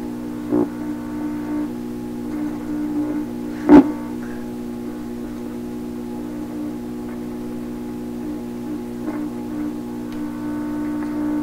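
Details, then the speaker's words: 1928 RCA Victor Model 28V radio, hunting noise sources: steady low 60-cycle mains hum with stacked even tones, a few clicks, persisting after pulling a type 26 tube. "So you still hear the hum, the 60 cycle hum very distinctly."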